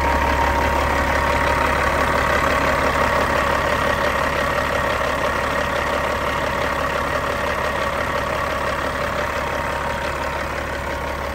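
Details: Cat 3406E diesel engine from a 1999 Western Star 4964SX truck settling into an even, steady idle with smooth clatter and no knocks or misses, a normal idle.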